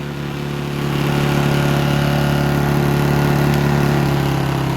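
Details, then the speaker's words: Honda generator after pump load removed and econo throttle switched on: steady low drone settling smoothly to idle with no misses or knocks; normal idle. "the econo throttle, let it idle."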